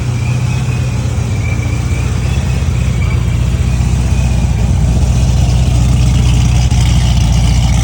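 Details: C6 Corvette running after the fuel-diluted oil was changed; before this it cranked but would not start. A deep, steady low rumble with an even beat and no knocks or misses; it runs normally.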